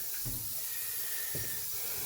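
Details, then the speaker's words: Toilet cistern refilling with only a thin, steady trickling hiss, taking five to ten minutes instead of under a minute; the fill valve has a torn diaphragm washer. "the water coming out from here by come out real slow so the guess is there's something wrong with the valve of the thing in here this is taking forever no real speed or pressure coming out or real flow coming out"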